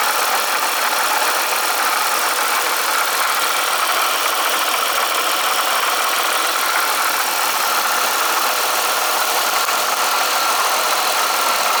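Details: Eaton M90 supercharger at idle making a dense, fast, thin metallic clatter; owner suspects coupler or bad rotor pack, not confirmed, and plans an oil change hoping it helps.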